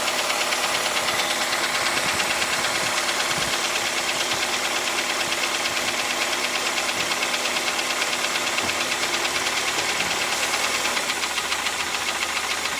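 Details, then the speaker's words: Toyota 3SZ engine, 2006 Rush, with a knock for about a year, shifted into D to make it clearer: steady running with regular light tapping near two per second; cause unknown, valve clearance or piston suspected. "Сейчас поставлю на D, более явный отчетливый стук будет слышно."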